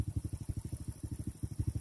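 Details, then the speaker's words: Honda Supra carbureted underbone motorcycle after adjusting carburetor air screw and idle rpm: soft even low thumping about ten beats a second with no stumbles or hunting; normal idle. "Saya yakin setelah Anda bisa mengatur setelan angin motor Supra, di saat kita ngatur ketinggian dan kerendahan RPM, suara mesin motor akan menjadi normal."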